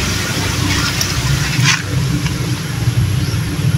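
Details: Shallow well water pump with bladder pressure tank, newly installed and just powered on, heard at the pressure tank: steady low motor hum with water rushing in, no knocking or screech. Pump running normally and filling the tank.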